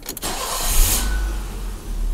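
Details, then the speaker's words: 1984 BMW 318i (M10), 65,000 miles, with a new distributor, the idle control valve unplugged and deleted, and the throttle stop adjusted. A quick crank, then a steady even idle at about 1100 rpm in park and neutral: normal start and idle. "Fires up. Idles in park and neutral about 1100, which is awesome."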